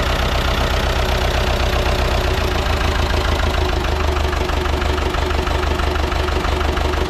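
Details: Ford 6600 diesel tractor, sitting about 8 years, just started after starting-fluid spray bursts while cranking; low on antifreeze so run briefly, some smoke. Steady, even low diesel chug at idle with no knocks or misses: normal idle.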